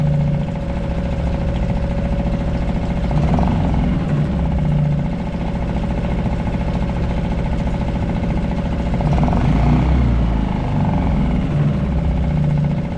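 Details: Suzuki 2.5 HP DF four-stroke outboard, long shaft, idling in neutral in a water bucket after an oil-level-sensor no-start, oil barely in sight glass: low, fairly even thump about 3.5 beats a second, no knocks or misses; normal idle.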